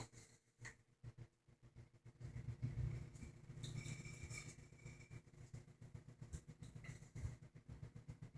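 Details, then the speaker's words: 1960 GE W-15 variable-speed box fan on its lowest resistor speed: a low, steady buzz over the slowly turning fan as the loose rear metal grill vibrates and rattles. "buzzing that you'll hear is that that back metal grill I've yet to be able to get it to stop buzzing that's low"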